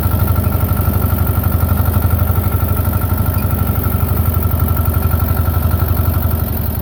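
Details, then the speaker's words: Belarus 250 tractor, 2-cylinder air-cooled diesel, sat for years, running again; during PTO and three-point test, steady even clatter at constant speed, no misses or knocks; normal running after repair. "all right we got it back running I am tickled I'm tickled for the guy"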